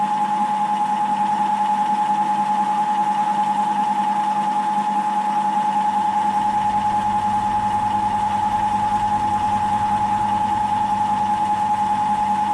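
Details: Milling with a face mill after reworking its 50 mm MT2 sleeve to fit against the 70 mm MT3 bore: steady, even tone with no chatter, squeal or pitch change; consistent finish, cutting cleanly and normally.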